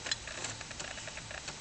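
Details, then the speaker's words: Amiga 500 (about 25 years old) floppy drive loading a test disc from Workbench 1.2: light, quick, steady ticking and clicking as the head steps while the disk boots; the drive is working normally. "clicking away there. Won't be long now. So there it is, that's our test disc booting up."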